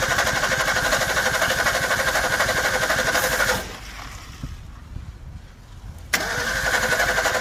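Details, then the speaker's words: 1961 Ford Falcon Futura parked 20 years, some water in oil: engine fires rough and uneven, catches briefly, dies, then a cough restarts it; some cylinders hitting, some not, choke position suspected, cause unclear. "i know she's trying she's just not quite there"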